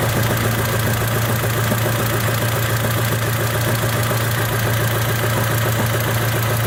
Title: Honda Civic 98 rattling noise